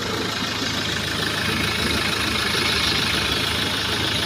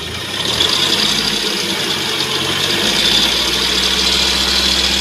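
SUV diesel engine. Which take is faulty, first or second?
second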